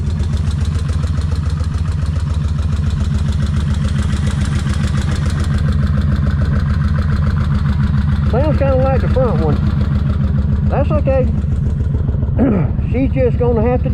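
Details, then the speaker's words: Kawasaki Vulcan 1600 V-twin after cam chain adjuster work, rear done then front: steady lumpy idle with a light fast tick on top, less noisy than before; remaining noise seems to come from the front cam chain tensioner. "she still got some noise but it ain't as bad as it was"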